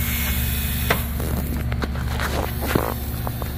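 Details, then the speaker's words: 2004 Dodge Ram (believed 2500) 5.9 Cummins that stalled after hitting deep water, code P0628 fuel pump control circuit low; after lift pump replacement, camera placed next to it: steady, even low hum without surging or rattle, pump running healthy. "So now that we know the lift pump is operating, let's get ready to clear the codes and start it."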